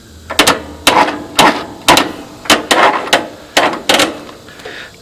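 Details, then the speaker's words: Yard Machines 20 hp 42-inch tractor, Tecumseh V-twin, starter troubleshooting: test lead energizes the starting relay coil, giving crisp metallic clicks about eight in five seconds, each a clean pull-in; starting relay is alive and works. "this right there tickles the coil that pulls the starting relay together which takes power from the battery and runs into the starter right through this wire"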